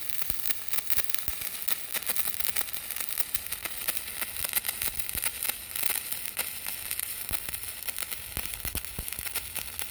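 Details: PrimeWeld CT520D stick welding, turned up from 120 to 140 amps because the arc seemed too quiet: soft, steady crackle and sizzle with no harsh buzz; a smooth, quiet stick weld.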